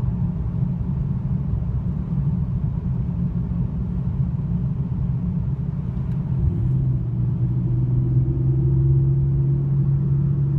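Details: 2002 BMW E46 325i M54B25, cold with clutch engaged: rough idle hunting; owner suspects camshaft position sensors, DISA valve or VANOS, intake boot checked without cracks.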